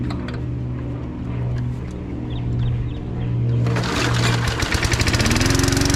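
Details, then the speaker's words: 1974 Dynamow single-cylinder mower, recently revived, mowing the front yard: it pops steadily, then picks up to a crisp, even beat under load. It is running normally. "But yeah, I figured I guess just got this thing running pretty good this last week."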